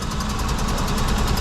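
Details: 2003 Mitsubishi Eclipse four-cylinder petrol, P0300 misfire, power loss and high fuel use, only two cylinders working: rough stumbling idle with an uneven low pulse as a coil is disconnected to confirm the fault.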